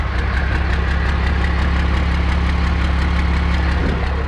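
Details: First-gen Dodge 12-valve Cummins diesel, 4-inch stainless exhaust; deep, loud, steady idle with an even low drone and light diesel clatter. Normal diesel idle.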